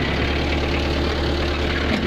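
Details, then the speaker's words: Mitsubishi 4D56 diesel after valve cover work and tune-up: deep, even idle with a smooth steady rumble, no shake or uneven beats. Previously noisy with body vibration, now steady and quiet. "Tamo, steady lang idol. Tahimik na tahimik."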